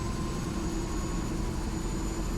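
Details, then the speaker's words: AS350 B2 helicopter turbine start, starter just released at 40% NG, warning lights going out as it spools to idle; smooth steady whine, high whistle and even low rumble; normal spool-up. "watch the ng coming up to 40 that's when we release the uh starter 40 so just released"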